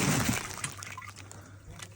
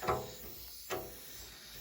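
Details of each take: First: Loft cold-water tank whose ball valve had been set too low so it only trickled: after adjustment a quiet trickle swells into a strong steady gush; tank now filling properly. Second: Domestic heating system during a valve replacement, sound at the bleed point: short bursts of hiss about a second apart as air pulls in and out. A massive air lock in the heating circuit.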